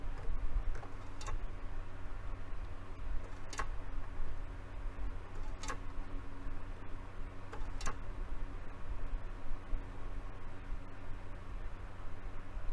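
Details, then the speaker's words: Technics SL-B30 belt-drive turntable, tonearm auto-return still bound after a repair attempt: faint sharp ticks about every two seconds over a quiet low hum as the platter turns; binding auto-return mechanism, cause being investigated. "all right so that's still kind of that's still bound up there so let's see if we can figure out what's going on with that"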